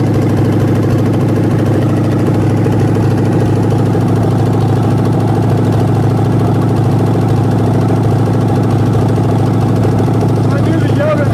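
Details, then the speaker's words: 1967 Ford Mustang 302 V8 on an engine stand after cam break-in, open exhaust, mixture screws 1.5 turns out: steady, slightly lumpy idle, rough-looking because hard mounted to the stand; 23 inches vacuum, 21 at low idle, timing about right. "It's gonna look a little rough when it's idling because it is hard mounted to the stand."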